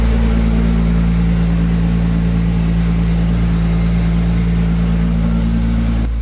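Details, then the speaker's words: Freshly built 2JZ turbo VVTi engine on first start, coolant near 85 °C, no oil or coolant leaks: steady, even idle with a smooth low hum and no knocks or ticks; clutch not fully disengaging. Normal idle. "Positives. You can still hear it. It runs."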